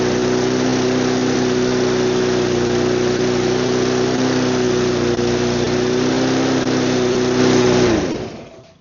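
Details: Neglected mower with spark plug refitted, no air filter or cover; steady high-idle drone with an uneven beat that never settles before shutdown, rough running.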